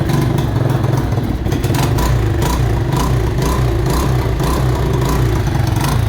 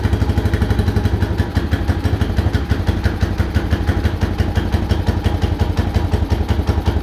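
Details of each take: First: Mojave 250, year unknown, after timing chain replacement (old chain loose, jumping time): revved, barks unevenly with irregular pops, backfiring, heavy exhaust smoke, may not idle; owners suspect timing is off. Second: Mojave 250 first start after timing chain replacement, filled with oil: single-cylinder thump at a steady, even beat with no rattle or tapping until shut off; normal idle.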